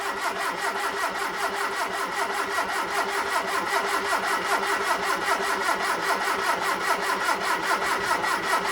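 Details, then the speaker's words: Hillman Super Minx after a carburettor rebuild with the carbs refitted, choke held by a clothes peg: steady starter churn of about 2.5 turns a second with no firing. Extended cranking is needed to refill the empty float bowls. "the carbs refitted it will take some cranking to get fuel back into the float bowls and everything"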